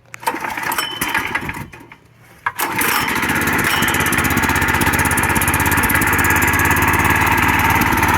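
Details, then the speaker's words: Old go-kart that sat in a shed for years, after repainting, small engine started by pulling the lever: a pull or two, then it catches and runs with a fast, even, buzzy beat that holds steady, working perfectly fine. "yeah so that works works perfectly fine"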